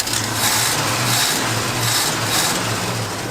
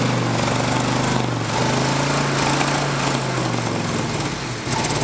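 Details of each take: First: GMC Jimmy (1977, or 1978 per owner) revived after years in a barn, carbureted, after a carb base gasket leak: steady, slightly lumpy idle with no misses. It runs extremely rich, almost diesel-like, and the accelerator pump may need adjusting. Normal idle. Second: 1977/78 GMC Jimmy V8, barn find that sat for years, running on temporary fuel through the carb bowls with dual exhaust: loud, uneven, lopsided chugging as it runs on six cylinders with two spark plug wires missing.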